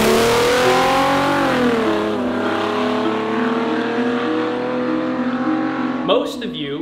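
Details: W140 Mercedes S600 V12 with equal-length open headers: revs rise and fall with a thin, raspy note like a straight-piped G35 V6 rather than a V12; diagnosed as low compression, and the motor was later swapped.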